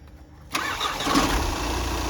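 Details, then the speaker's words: VW Passat after a new LuK flywheel was fitted and repairs completed: short crank, then the engine catches and settles into a smooth, even idle with the former flywheel knocking gone; normal start. "हां जी यह गाड़ी हमने complete कर दी है अब हम आपको sound सुनाएंगे इंजन का जो फ्राई वल की नॉकिंग थी"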